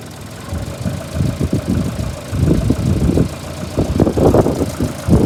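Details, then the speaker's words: Rubbing noise from the engine of a VAZ 2114/2115 at idle: uneven scraping and rubbing bursts over a low rumble, as if some part is rubbing inside; cause not yet identified. "Звук какой-то идет. Как будто терется что-то."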